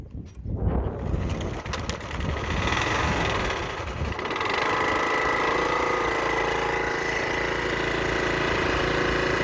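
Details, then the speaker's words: Old, tired, worn pressure washer engine that likes to start with brake clean or ether; spark plug cleaned and refitted. It catches after a ragged start and settles within about four seconds into a steady, even run. "I'm gonna get her to fire up with some brake clean because she doesn't like to start. She likes to start with brake clean or ether, so yeah. It's an old power washer."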